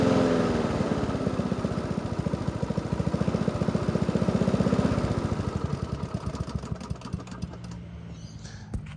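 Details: Free Honda walk-behind mower fitted with slightly smaller replacement wheels, oil change and plug clean still due: even steady single-cylinder putter, no knocks or misses, winds down smoothly at shutdown; runs alright.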